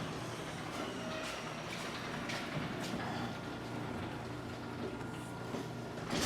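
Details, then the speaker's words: Garage door with two tracks on a low ceiling, after cleaning the tracks and putting lithium grease on the roller bearings: a low, smooth rumble with a few faint clicks and no squeal or grinding, much quieter than before. "all right let's see what this is sounding like now that's a lot quieter"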